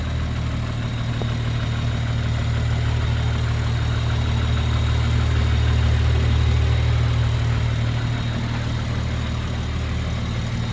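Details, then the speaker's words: Rebuilt Toyota Supra MKV A90 B58 with Pure 800 turbo and EOS port injection, 12 injectors instead of 6 with 1000cc port injectors: steady idle with fast, even light injector ticking about four per second; normal, slightly louder than stock. "You're gonna hear a little more injector. I mean, these cars are already kind of loud with their injectors, but let's turn it on here."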